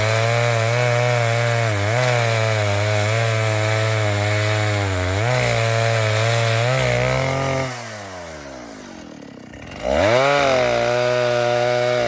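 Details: Vintage 1960s Stihl 08S chainsaw, close to 60 cc, with chain brake, cutting dead ash firewood: strong note dipping under load in the cut, dropping to a smooth steady idle then revving cleanly again; lots of torque, runs good, normal running.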